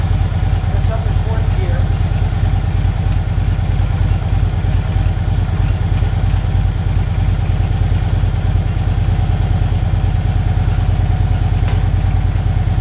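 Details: 2012 Victory Cross Country 106 V-twin, 47,000 miles, warming up after shifter mechanism replacement for hard downshifting: steady, deep thump about three beats a second, even and unbroken, no clunks or grinding; normal idle.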